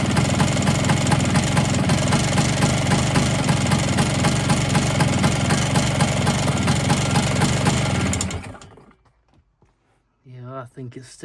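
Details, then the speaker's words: Vespa-type scooter with Polini 177 two-stroke, fresh piston rings, lots of oil in bore, smoky, second run-up of about 30 seconds: quick even metallic rattle over idle until shut off; top-end rattle, owner thinks it's in the cylinder. "it's still got a bit of a rattle. So I think it's still got that bit of a rattle. It unfortunately it does sound like it's in the cylinder as well."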